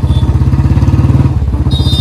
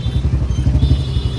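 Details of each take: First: Royal Enfield Standard 350 with free-flow C-bend exhaust, after fitting a gas-kit ring to the bend pipe: louder, steady deep single-cylinder thump, no more popping on throttle release, no gas or air leak; normal exhaust note. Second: Royal Enfield Standard 350 single-cylinder with C-type free-flow bend pipe, riding on road before gas-kit ring fitted: deep thump turns ragged and puffy under light throttle as air leaks at the main header pipe joint; ring to seal it.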